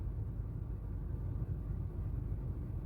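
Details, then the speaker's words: 2017 Honda Fit 1.3 after engine decarbonizing chemical clean, before CVT oil change: idles smoothly with a soft, low, even rumble; misfires dropped from about 10 per cylinder to a single one left in cylinder two, so the chemistry worked. "А так вообще двигатель работает ровно. Одна вспышка только. Так что химия работает."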